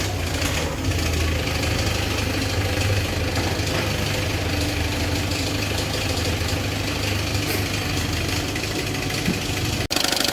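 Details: Peugeot 206 1.4 HDi diesel idling with loud rattly knock about three times a second from a damaged crankshaft pulley.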